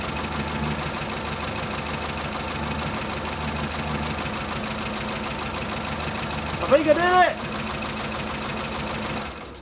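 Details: Morris Minor after fitting a new distributor cap, rotor arm and cables to fix its ignition problems, warming up: a steady, even idle with a regular low beat and no misfire or stumble, so the engine runs fine.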